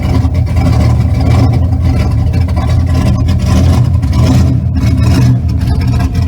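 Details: Car running after alternator replacement: steady engine drone with no belt squeal or chirp; the new alternator also solved the squeak.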